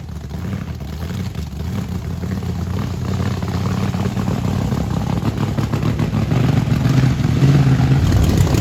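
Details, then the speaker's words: Blower Camaro under hard throttle: a deep roar with heavy, uneven juddering as the rear tyres hop violently; brand-new tyres are already half worn, and the suspension needs locking down. "dude look at how bad it's wheel hopping every time you whip it is one of wheel hops yeah we gotta do suspension"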